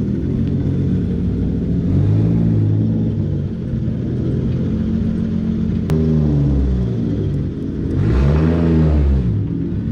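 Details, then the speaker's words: Toyota Supra (1993–1998 generation) after a starter rebuild that cured a single-click no-start, and after a transmission swap: the engine catches and settles into a steady run, with revs rising and falling cleanly. No starter grinding, only exhaust, zero clutch chatter; normal start and run. "you don't hear nothing but the exhaust zero clutch chatter man the transmission feels really really nice"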